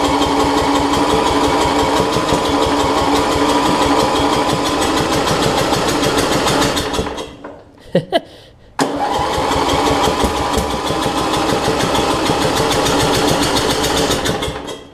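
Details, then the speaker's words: Murray rear-engine rider mower with a brand-new battery, which ran the day before: starter cranks in quick steady bursts, the engine briefly catches, then dies. Hard starting; owner thinks it is flooded. "two brand new battery well that ran yesterday you ran yesterday I knew that let's see actually I honestly think it's flooded"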